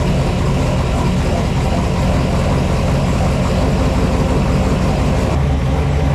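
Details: 4x4 Blazer with swapped small-block Chevy V8, freshly fitted exhaust replacing open headers: loud, throaty burble holding a steady, even beat, no misfire or ticking; idles healthily.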